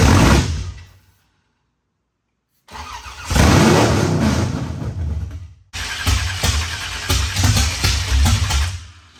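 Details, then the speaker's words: Freshly built 355 in a 1974 Camaro, first fire-up on carburetor with starter fluid and timing tinkering: catches after cranking, runs rough with loud fast metallic clatter; valve train clatter from dry rocker arms. "the motor fires up loud loud clattering noise we're sitting here pooping our pants because we didn't know what that was but further research and development has showed us that our"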